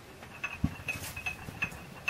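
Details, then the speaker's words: Planet Jr. Model B walk-behind tractor pushed by hand after hubs pulled apart and shafts greased; crisp light clicks about twice a second from the three drive pawls in the hubs ratcheting normally, now locking up properly. "inside there are three Drive PWS and you can hear them clicking when I roll this"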